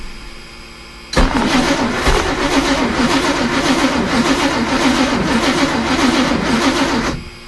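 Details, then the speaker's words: Chris Craft Commander 410, other 454 marine V8 running on old gasoline of unknown age (possibly 5–10 years) from the boat's tank at about 1500 rpm: uneven rattling knock over the engine note; owner suspects detonation from the old gas. "uh okay well that was odd it was making a lot of noises there like it was uh detonating or something maybe it is um but it's not even that low to set just running at you know 1500 rpms or so"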